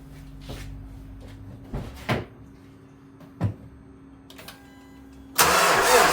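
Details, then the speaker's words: Hyundai that burns oil, previously given a timing chain job, battery about 11.6 V on a charger, belt loosened: several slow heavy thuds while cranking, then a rough catch. A deep start-up knock is suspected to be a spun bearing, unconfirmed. "That sound like a spun baron. That's exactly what that sound like."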